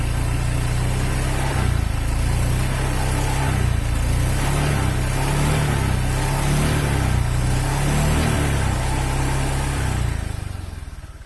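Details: Honda Vario 125 fuel-injected scooter at idle: coarse, uneven low chugging with a harsh gravelly edge. The piston is loose in the worn cylinder block, giving weak compression and hard starting.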